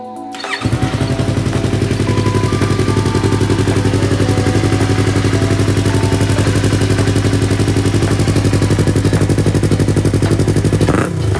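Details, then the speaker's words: Yamaha R3 after the backfire fix and a hose refitted and locked; even, steady exhaust beat with no pops or bangs, running clean. "So ayan, problem solve tayo guys. So nakaligtas na naman tayo sa gastos."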